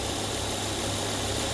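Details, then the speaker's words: 2006 Volvo S40 at idle, engine light on, oil leak: steady airy hiss over smooth idle; ripped PCV crankcase ventilation diaphragm behind oil filter housing sucking in air, running extremely lean. "there's a diaphragm in there what happens is that diaphragm rips and then it's sucking all the air in which you heard right here"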